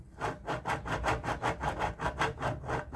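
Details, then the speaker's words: Washing machine making heavy noise during spin, partly disassembled: the lower drum bearing turned by hand gives gritty, rasping grinding pulses, showing a worn bearing that needs replacing; upper bearing is fine. "isso aqui quer dizer que esse rolamento tá ruim um rolamento barulhento desse aqui vai fazer muito barulho muito barulho então A melhor coisa é trocar imagina"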